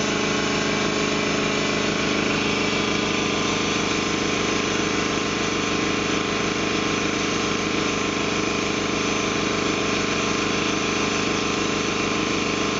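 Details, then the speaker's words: Ingersoll Rand T30 7.5hp upright air compressor, 80-gallon tank, set at 175 psi: steady even pumping thump with constant motor hum, check valve heard releasing, no air leaks, hiss or knock; normal running. "as you can see it is set at 175 psi right now you can hear the check valve it's fully released now as you can hear there's no air leaks no issues nice clean air compressor"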